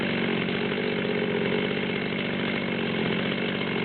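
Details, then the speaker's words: Torque-tuned Stihl MS200T chainsaw, hot, after carb adjustment (idle 2880–2940 rpm), wide open at about 138 on the tach: a screaming high note with a faint uneven burble; still four-stroking and missing at full throttle. "okay so we're about 138 or so um you can still hear the Miss at hot idle with the wide open throttle"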